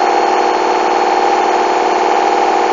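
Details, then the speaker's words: Hoover washing machine, coloureds 40°C bedding load, final spin heading for 1400 rpm: fast steady whirring roar with faint rhythmic knocks as the drum shakes a lot; badly unbalanced load. "Hold on a minute. I think the drive shakes a lot. You can see that."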